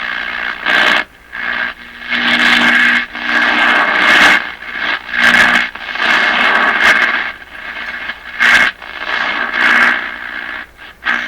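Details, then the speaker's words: Crosley 43FB tube farm radio, first power-up after 50 years, A and B voltages good, no antenna connected yet, dial at the top of what is taken to be the AM band: hissy static swelling in bursts with faint tones. Reception is normal. "Okay, I'm going to say that's the AM band."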